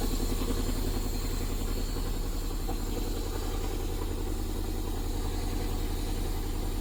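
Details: Toyota MR2 classic under restoration, after fuel pump relay and pump work: steady, even low idle pulsing about three and a half beats a second, no knocks or misses; normal idle.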